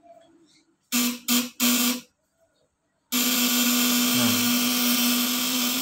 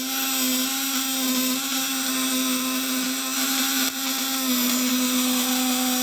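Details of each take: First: Fish-shocker inverter (12 V/24 V supply, 200–1000 W, 500+ V output) running with its stick dipped in water as a load. The contact breaker (platina) is deliberately loosened, giving a coarse, stuttering raspy buzz instead of a smooth high-pitched whine. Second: Fish-stunner inverter (1.5 kg build, 12/24 V) running under load with its probe in water at about 200–500+ V. The contact breaker (platina) is tightened until it gives a smooth, tight, high-pitched whine with no sputter, which is the best setting.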